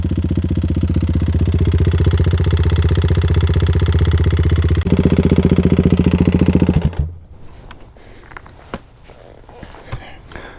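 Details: Kawasaki KLX351 single-cylinder after hard riding on snow and ice: a hard regular knock on each firing stroke at idle, about four a second, then shuts off; owner thinks not bottom end, and if top end, possibly a failed cam chain tensioner.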